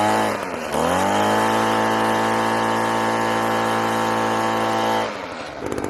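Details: Echo PB-200 two-stroke leaf blower, found abandoned roadside, after cheap fix (carburetor line refitted, primed): catches, climbs quickly to high steady buzzing rev, holds evenly four seconds, then drops back; normal healthy running.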